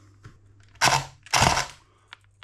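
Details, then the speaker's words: S&T M240B airsoft support gun on a 7.4V battery, after a failed earlier repair and upgrade: two short harsh, rough, rattly bursts rather than clean even cycling; damaged, grinding gearbox internals. "Okay. Uh, right. Yeah, that doesn't sound good at all, does it?"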